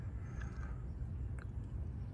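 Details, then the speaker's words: Chevrolet Tahoe running high idle after engine bay pressure wash; steady fast drone, no hunting or clear hiss; owner suspects vacuum leak, possibly intake gasket, not located. "it sounds like I got a leak somewhere but I can't find it"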